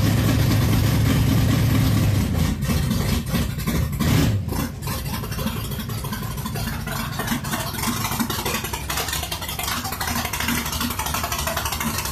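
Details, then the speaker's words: Barn-find V8 sitting 20+ years in a loft, first start after oil priming, fuel pumped up and timing set: catches, revs loudly, then drops to a steady, even idle without knocking or misfires; normal start and idle. "It ran. 20 plus years. Started right up and idled. Man, that's amazing."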